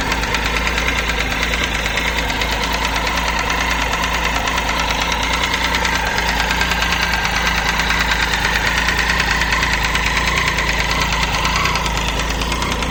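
Steady idle with a fast, light ticking of about three per second riding over the engine note, source not pinned down. Cause suspected, not confirmed.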